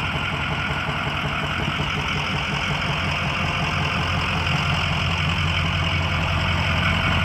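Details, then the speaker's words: 2004 Ford E-450 box truck, 6.0 L diesel, 121,000 miles, warm after running about an hour without overheating, started right up: even steady diesel clatter at idle, no misses, knocks or hunting; healthy. "engine sounds good it's been running for about an hour does not overheat how good battery started right up"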